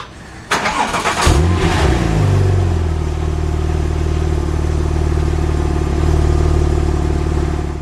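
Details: Porsche 911 997 Turbo manual, inspected for purchase, coolant lines already addressed: quick crank catches at once, short rev flare, then smooth even deep idle with no knocks or misses; healthy start.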